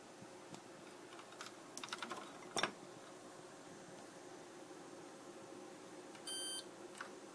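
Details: 1981 Osborne 1 portable computer that won't boot: soft key clatter, then one short high beep about six seconds in. The owner suspects a bad ROM; replacing the Z80 CPU didn't help. Cause unconfirmed.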